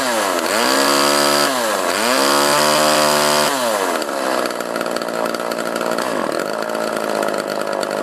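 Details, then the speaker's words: Homelite LX30 (Super 2-type) chainsaw after a carburetor kit (K10-WAT) replacement, warmed up, air filter refitted; crisp blips rise and fall cleanly, then a steady high buzz with no stumble, so it runs well. "it seems to run good now I put the air filter back on over here"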